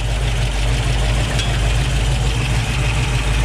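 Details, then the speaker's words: 1965 Ford Mustang Fastback V8 with headers and Flowmaster dual exhaust, engine still cool: after lowering a too-high idle, it idles low and steady with an even, loping rumble and no knocks or misses. "all right that sounds a lot better we're going to continue the test drive just like this"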